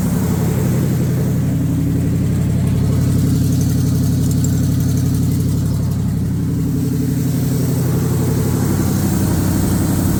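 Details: 1978 Chevrolet K20 V8, carbureted, first start after sitting under a tree for years: smooth, even beat with no misfiring, but idle is way up there, well above normal; not charging, no coolant in it.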